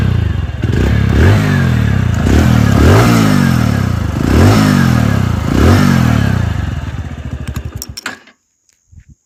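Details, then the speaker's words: 2021 TVS Radeon BS6 motorcycle, single revs in bursts about four a second. A metallic "khan khan" clattering from the engine rides over the exhaust beat, then it shuts off; source unclear. "कि आप सभी को ना आवाज ही पता चल रहा होगा कि बाइक के इंजन से खन खन खन खन का आवाज है आ रहा है"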